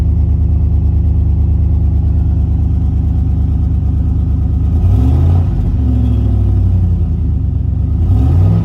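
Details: 2014 Chevy Suburban V8 startup with two quick revs: loud, deep, pulsing rumble, exhaust cut open at the resonator in an attempted catalytic converter theft, so running without resonator and muffler.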